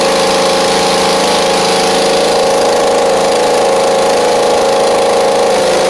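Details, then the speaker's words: Husqvarna Z4822 zero-turn mower with a stuck choke and an uncleaned carb: a loud, uneven, loping beat at steady throttle with gaps in the firing. The right cylinder is suspected not to be firing, possibly from dirty carb jets; not confirmed. "Does not feel like the right side is firing though, so we may have a little bit of a carb issue on the right side."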